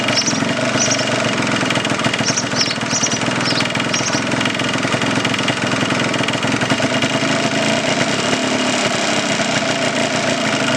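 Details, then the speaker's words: 1989 Yamaha Blaster 200 two-stroke after sitting 15 years, choke pulled at first start; barely ticking over with a busy, uneven crackle, and the mixture adjuster has little effect. Idle speed set too low, needs raising. "Not getting much out of the mixture adjuster. It's I can feel it or hear it make an effect, but it's just not idled up enough."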